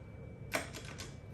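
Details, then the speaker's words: 2004 Yamaha YFZ450 ATV during rebuild, battery connected, key on: crisp clicks, four in about a second, as the clutch switch is worked; starter relay engaging normally while neutral light not lighting. Normal starter relay click. "Clutch switch is you can hear the relay clicking."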